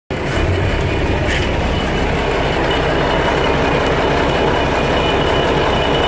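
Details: Mercedes 1113 truck rattling from the transfer case or driveshaft at certain engine speeds, as if something is loose: a dense, loose-sounding rattle over a heavy, steady low rumble. Cause unconfirmed.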